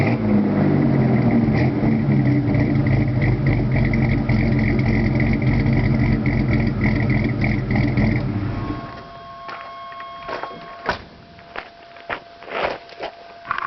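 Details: 2.8 V6 S15 with dual-outlet 40 series Delta Flow Flowmaster exhaust: deep, uneven, lopey idle about four pulses a second for eight seconds, then shuts off; rough idle, cause not identified.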